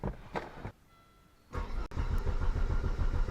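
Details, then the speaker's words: Volvo 850, after battery replacement: starter cranks the engine in a steady chug but it won't start; the injector relay isn't heard clicking. "Yeah, I think we might have lost our injector relay, because I don't hear it clicking."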